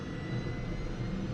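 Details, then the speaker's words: Eurocopter AS350 B2 turbine start: starter on, twist grip one-third at 10% NG, steady rising whine as engine lights, T4 held 600–650 below 750 limit, starter released at 40–45% NG; normal start. "starter goes on the collective watch the ng 10 twisted one-third and you can hear the engine as soon as it ignites watch the t4 now"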